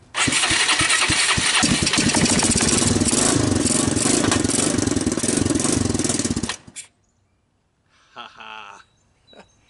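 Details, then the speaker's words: Kawasaki Bayou 220 ATV, about 1988, after rough valve adjustment restored compression, started with starting fluid, 12 V, a portable CDI and a jump pack: catches right away, loud fast raspy single-cylinder run for about six seconds, smoking. "runs smokes pretty good too what do you guys think this was looking like a dead machine and suddenly it's alive"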